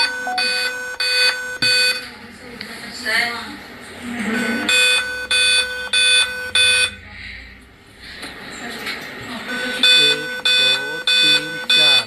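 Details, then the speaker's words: Dell laptop model 3542 at power-on: high-pitched beeps in repeating groups of four with pauses between them; four-beep POST code indicating a memory fault. "चार एक दो तीन चार चार beep इसमें sound दे रहा है"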